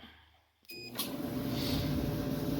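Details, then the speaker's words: Maytag MEDE200XW1 dryer after teardown and bearing and roller replacement: short start tone, then steady even low drum hum with no squeak or scrape; running normally. "Look at that, no more squeak. Well, not really looking. Listen to that, no more squeak."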